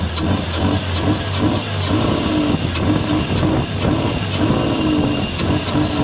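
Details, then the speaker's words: 1979 Datsun 280ZX turbo with newly replaced fuel injectors, first start after sitting for years: revs surge and sag unevenly, heavy smoke and blowby; owner doubts it will idle and suspects too much fuel or bad gas. "Fuel. That might be a problem. Probably getting way too much fuel. Oh, I don't think it's going to idle."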